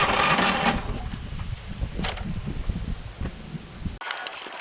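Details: Craftsman electric-start self-propelled lawn mower that won't start or stay running: small engine putters unevenly at a low beat for a few seconds, then cuts out abruptly; stalls after starting.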